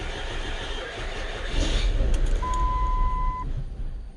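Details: 2007 Mercury Milan, crank no start: starter churns at about three to four pulses a second but the engine never catches; cylinder 4 ignition coil fried, misfire followed it to cylinder 5 when swapped.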